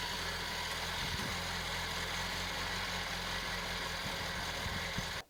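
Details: 1991 Citroen BX 1.4 with 81,000 km, off the road for 10 years with old oil and an old cambelt, started to see if it could be driven home: quiet, even idle with a steady low pulse and no knocks or misses, seemingly healthy.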